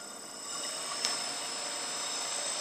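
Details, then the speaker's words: Turnigy Multistar 2209 1200KV Blade 350 QX upgrade motor with carbon fiber prop, mounted upside down on a scale for a thrust test of about 1.5 lb. A steady, even high whine under load with no rattle or grinding; smooth, normal running. "you hear that that just sounds so smooth so I saw about a pound and a half of thrust"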